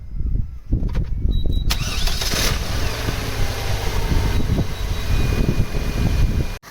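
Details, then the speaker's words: Opel Vectra B CDX 2.2 16V, started for air con pressure check before regas: brief crank, catches cleanly, smooth even idle without misses or knocks; normal start. "Sounds well. Should do, it does work alright."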